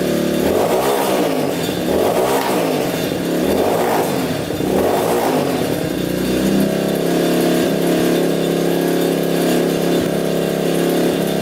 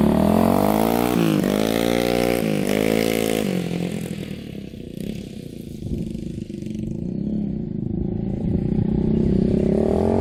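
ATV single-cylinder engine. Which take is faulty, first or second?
first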